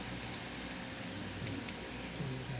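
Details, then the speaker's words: Refrigerator fan after lubricating its shaft with oil: soft, steady, even hum with no squeal, rattle or grinding; the strange noise it had made for days is gone. "Ok pues ya se lo echamos al parecer ya ya se le quitó ese ruido era solo echarle aceite lubricar ahí el eje para que ya dejará de hacer ese ruido extraño ahí está"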